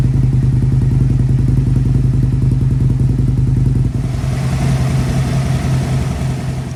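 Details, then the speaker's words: 2002 Aprilia RSV V-twin barn find, abandoned 8 years, after water-contaminated fuel cleaned and larger battery fitted: deep lumpy thumping at fast idle then brief rev rise; runs cleanly, no fuel leaks. "so there we have it boys and girls she fires into life I was checking around it no fuel leaks"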